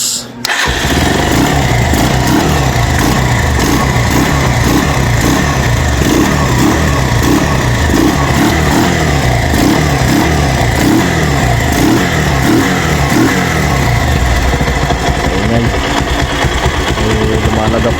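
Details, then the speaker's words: Rouser 180 single-cylinder motorcycle, MT15-style head fitted, running loud and uneven with sharp slapping pops and backfire; smoke escapes between cylinder head and block, so a leaking cylinder head gasket is found. "So issue nito mga boss Roser 180 ay maingay yung makina. Yan so try muna natin bago natin baklasin ha. [Musika] Un nagba-backfire pa yan mga boss."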